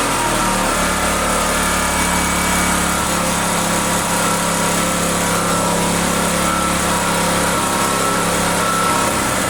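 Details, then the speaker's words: Neglected generator stored about a year, first restart: high-pitched small engine runs but the note dips and wavers, stumbling; owner suspects spark cutting out, oil level possibly low, cause unclear. "I don't know why it sounds like it's a killing spark I think but why would it"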